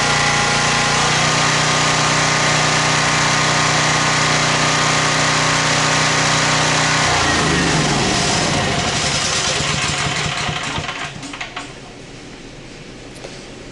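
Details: Champion generator found at dump, 885 hours: runs steady and even at constant pitch, then winds down smoothly; no knocks or misses; heavy smoke at start cleared, possibly leftover oil from tipping.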